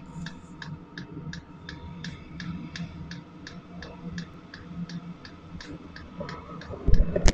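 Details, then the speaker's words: Chinese AliExpress Webasto-style diesel parking heater during restart and warm-up: light, steady ticks about three a second over a soft hum; the diesel dosing pump sending fuel into the heating body, clicking normally. "voilà quand on entend le bruit de la pompe là les petits clac clac claque c'est la pompe de gasoil qu'en voit le gasoil dans le corps de chauffe"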